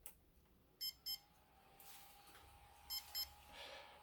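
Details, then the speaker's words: Tronxy printer with a Chitu motherboard, just flashed with Marlin after its stock firmware was backed up: two short high beeps, a pause, then two more. This is the normal startup chime, and the Marlin firmware boots fine. "okay so flashing marlin now and um as you can see here those familiar beeps there's marlin right beautiful"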